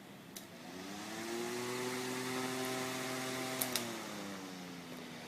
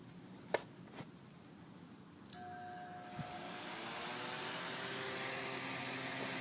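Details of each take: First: Electric fan powered by a pure sine wave inverter whirs evenly with a soft steady tone, slight swell, no electrical buzz or hum, unlike on a modified sine wave inverter. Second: Fan run on a modified sine wave inverter: after switch clicks it spins up with a steady buzzing hum, running inefficiently and hot; on a pure sine wave inverter the hum disappears.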